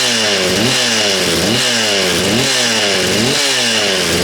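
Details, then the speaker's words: Husqvarna 236 chainsaw, running after reassembly (chain had stuck in a log), good compression; crisp two-stroke buzz rising and falling cleanly over about five quick throttle blips, no misfire or rattle, like a little dirt bike; normal running. "Tell you what, it sounds like a little motorbike. Sounds like a little dirt bike, that does, doesn't it?"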